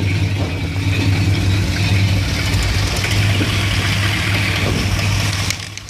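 Warm V8 idle with a deep, uneven lope and beats that stumble and don't settle, a rough idle with no cause evident.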